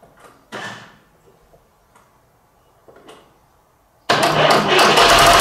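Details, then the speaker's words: Fordson Super Major diesel tractor, bought seized as a non-runner, starting after a replacement engine swap, new front tyre and throttle linkage, booster packs on standby: quiet, then a sudden catch into strong, even clatter; clean start, runs well. "so we know she starts she runs she drives and actually stops brakes are very very good"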